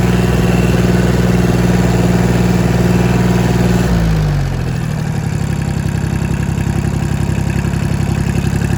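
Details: Diesel engine after a knocking-sound repair, hot. High revs drop back to an even, steady chug of about three beats a second with no knocking. It runs properly now.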